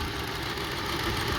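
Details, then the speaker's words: 2002 Honda CR-V 2.4L with rough idle and RPM hunting: unplugging one coil drops a cylinder, giving an uneven, lumpy, shaking idle on three cylinders. This confirms that coil and plug work. "Let's disconnect this one. See? Three cylinders only working. Start shaking."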